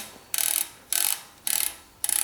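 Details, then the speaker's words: Mavic CrossMax SL mountain bike freehub after rebuild, lubricated with a few drops of thin mineral freehub oil: crisp, even bursts of fast pawl clicks as the hub is spun, no grinding or dragging; normal freehub ratchet with proper-weight oil. "and that's the way your Hub is supposed to sound when it has the proper weight oil in"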